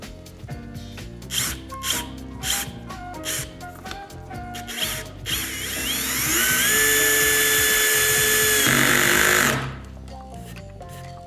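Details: BAHCO compact drill/driver: quick, even clicking at about four per second, then a steady rising motor whine; the clutch slips at its set torque as it should.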